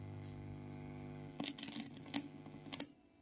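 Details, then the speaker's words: Class D 2.1 amplifier: a steady low mains hum drops away after a few sharp clicks once the missing wire to the board's body/ground is connected, leaving the amplifier running quiet with no hum. "பாடில connect பண்ண உடனே humming சுத்தமா arrest ஆயிடுச்சு."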